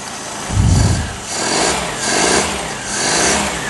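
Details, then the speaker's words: Whitby Morrison ice cream van, first start after engine change: smooth, quiet idle with gentle, regular swells in level and no knocking or rattles; sounds like a modern engine, runs sweetly. "Sounds like a modern engine. Right, that loop. I'm happy with that."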